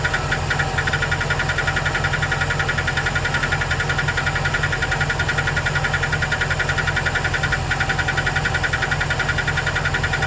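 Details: 2008 Chevrolet Express 2500 4.8L: light, regular tick about 160 a minute over a steady idle that goes away when rpm rises; owner first suspected a collapsed lifter on cylinder 8, now unsure; cause not confirmed.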